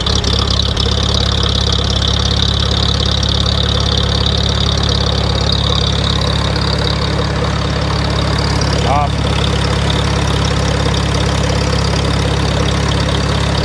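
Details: 1947 Farmall A, restarted in neutral after only a burnt ignition switch was found: fires and settles into a steady, even low idle while warming up; running normally.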